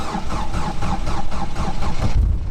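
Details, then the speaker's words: Old Mercedes-Benz T1 diesel bus in sub-zero winter, after glow plugs preheated and old weak battery replaced: starter turns it easily, catches quickly and settles into steady, slightly shaky idle; vibration judged not serious, starting problem solved. "this is what I understand it feels that the starter easily started the engine there is a little vibration in the engine but I think it's nothing terrible"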